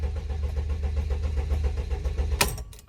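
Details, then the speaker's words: Mercedes Sprinter cranks but won't start: steady starter churning at about four beats a second and the rev counter stays still. Engine light is on. Owner suspects an undetected short to ground. "I'm gonna crank it look at the revs they stand still"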